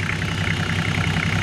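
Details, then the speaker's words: Toyota 105 series Landcruiser 1HZ diesel, turbo conversion, brand new injectors, first startup; even diesel clatter at steady idle, regular firing with no misses or knocks, healthy engine. "Get it running perfectly. And that sounds really, really nice. All right, we'll just let that idle a little bit."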